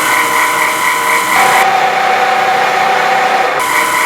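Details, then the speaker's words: Twister T4 trimmer after replacing its worn bearings with new ones, following rough running from bad bearings: it runs with a clean, steady whine and no grinding or rumble. "But if you remember the sound that we had earlier, this is the sound of new bearings."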